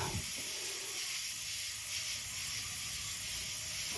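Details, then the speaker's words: BMW F10 N55 24-valve engine leak-down test: steady high hiss, only about 68 of 100 psi held (32% loss), air felt in the exhaust port from the right/front exhaust valve; leaking exhaust valve. "can only hit about 68 psi so i've got 32 percent loss and i can feel it's on the exhaust side and when i reach in the port if i feel to the left side it's no air if i feel to the right it's coming from so it's coming from the right or the front valve if you will i can actually feel the air escaping on that side"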